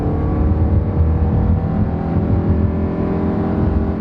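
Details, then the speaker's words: 2011 Nissan Rogue with a CVT and 138,000 miles under acceleration: engine drone climbs, then holds one steady pitch with no shift breaks and no brisk acceleration; normal CVT behaviour. "and of course it's a cvt so it doesn't shift gears that's why it went up high and stayed now it's better than the earlier ones"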